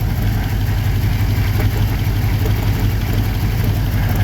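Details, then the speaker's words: 1954 Chevy 3100 V8, cold idle: lumpy uneven beat with one cylinder not firing, unknown which; injector working, suspected missing spark, connectors being checked. "Yeah, we're not hitting on one of them. I don't know which one though."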